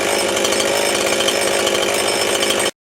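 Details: Jonsered/Husqvarna chainsaw after fuel line replacement, started with compression release: smooth, even high-pitched buzz with no stumbling or surging; running cleanly.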